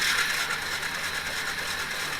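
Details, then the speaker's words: 2001 Yamaha Bear Tracker 250 sat long: steady starter whir, even cranking with no firing; pickup coil reads about half a volt and stator coils out of spec, bad stator pickup coil suspected. No spark. "Well, we got about a half a volt. And on this one, we're supposed to get about a half a volt. And looks like it's almost up to half a volt. So, I'm thinking we got a bad stator pickup coil."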